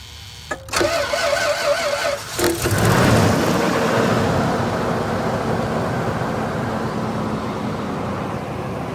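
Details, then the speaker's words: Toyota 2UZ-FE V8 (Land Cruiser/LX470) cold start at −6 °C: cranks briefly, settles into steady even fast idle with no ticking heard; the faint cold-only tick (suspected loose spark plug or oil viscosity) is absent, normal. "then there is a faint ticking noise but today it's -6° C so I don't hear it it could be also the oil you know viscosity of the oil"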